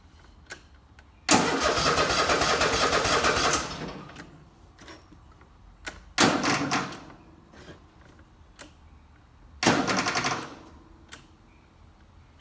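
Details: Toro TimeCutter mower hard to start: several long cranking bursts that die away, then short cranks, with no steady idle catching. It eventually starts but takes a long time.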